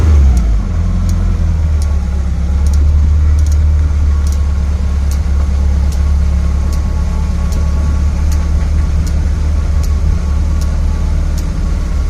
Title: Clicking noise